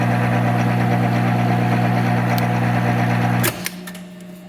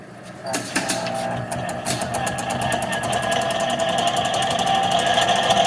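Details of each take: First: Monarch 10EE 30-inch lathe, first run after sitting about 20 years, threading with half nuts engaged: steady geared hum with even whir about four times a second, winding down at stop; normal, noisier threading thought due to more gears. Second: Monarch 10EE 30-inch lathe, first run after sitting about 20 years, running in back gear: steady gear whine with a busy rattle about four beats a second; back gear noisy, owner unsure if normal since his other 10EEs are noisy too.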